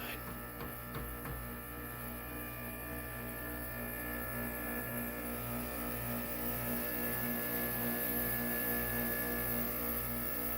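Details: Man-cave air conditioner, plugged in and switched off after the compressor kicked off: constant low mains hum with a buzzy edge, seemingly from one side of the unit; stops when unplugged; electrical fault suspected, not confirmed.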